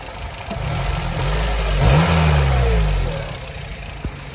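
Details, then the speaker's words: Low-mileage 2009 Honda Civic Si idling after a test drive, with a quick rev blip: light ticking through an uneven rumble. The valves are very loose and tapping excessively, and the engine is misfiring. "as you guys can hear uh the valves are very loose they're tapping way more than they should be the valve train on these cars you can hear in general but this is just absurd"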